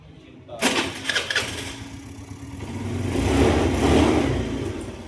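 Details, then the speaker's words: Mio M3 125 scooter (Sip 125) after replacing burnt, unevenly worn stock clutch lining and bell: engine catches, revs smoothly and eases back without grinding or judder; clutch now engaging normally. "Diba? Okay na siya."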